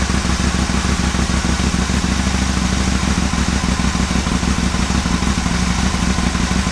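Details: Aprilia Caponord V-twin at cold start idle, TuneECU connected, after charging fix (idle fault still being chased): lumpy but steady twin thump, no misfires or stalling; healthy cold idle.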